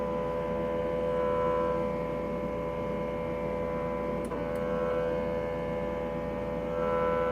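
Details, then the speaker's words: K&S 4526 wire bonder on power-up: a steady, even droning motor tone with no grinding or clicks as the Y-stage motor drives to its limits while initializing; normal homing. "It takes a little while, but you can hear the motor turning. So the Y stage is looking for the limits."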